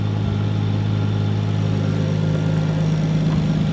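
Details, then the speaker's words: Nissan 240SX with RB25 after new coil pack install, test before road drive: steady idle with occasional stumbles, a lopsided beat pointing to a miss; owner suspects a sticky injector, fuel issue or boost leak, unconfirmed. "but it seems like I have a slight Miss interesting fuel related or what I have a boost leak or something interesting going we go idle down yeah yeah seems like it's got a miss interesting"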